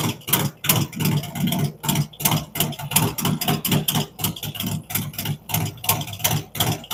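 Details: Freshly built V-twin with a 468 cam, adjustable pushrods, aluminum intake, 5.3 injectors and Thunderx headers: an even, steady potato-potato idle at roughly three pulses a second; healthy idle.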